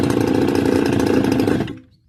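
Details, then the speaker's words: Stihl FS280 brush cutter two-stroke: steady buzz then dying away within half a second to silence; won't hold idle and stalls, spark confirmed, cause not yet found. "see it shuts off again. So this is a problem that has to be looked at."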